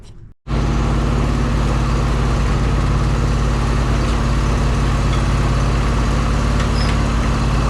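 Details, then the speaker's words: John Deere S140 48-inch mower after deck belt replacement: steady even engine drone with blades engaged, no grinding or crunching; normal running with blades engaged. "now I'm gonna get on it crank it up and engage the blades and make sure she's okay listen for any grinding crunching sounds"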